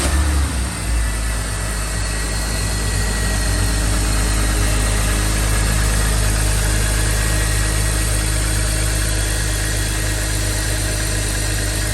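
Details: Smooth, even low idle on a 2005 BMW X3 (M54 engine) after replacing the serpentine belt, tensioner and AC belt: no squeal, chirp or rattle from the belt side; the engine-bay noise is fixed.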